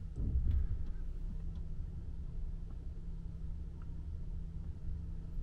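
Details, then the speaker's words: Old Hyundai Grandeur TG creeping forward and back after repair: low even rumble, no sharp creaks; rear shelf noise mainly from seat-back frame where welds seemed to have broken and loose steel panels rubbed. "전혀 안납니다 조용하고 날카로운 그 소리는 다 작업해 드렸습니다"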